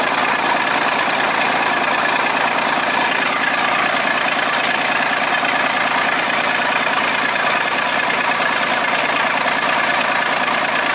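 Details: Volvo 320 tractor, Perkins diesel, first start after repair (valves adjusted, injectors, filters, oil changed, rocker cover off): even idle clatter, regular and unchanging, no misfire or leak hiss; running fine.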